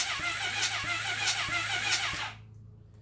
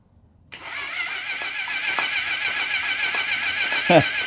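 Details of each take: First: 1980 Honda CB750F barn-find engine cranking with spark plugs out, finger over cylinder 3 then 4: strong sharp air puffs over the starter whir, good compression, though the compression gauge reading disagrees. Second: 1980 Honda CB750F barn find, first start attempt, compression test on cylinder number two: quick, light starter churn about 3.5 beats a second that never catches, gauge reading zero. Low compression; rings suspected, oil added to test.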